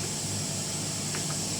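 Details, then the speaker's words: Sound system with mixer channel gain and treble (high EQ) set too high: steady loud hiss with low hum from the speaker; fix by lowering gain and high fader. "seperti itu guys itu akan timbul noise noise bisa jadi karena over pre seperti ini ya"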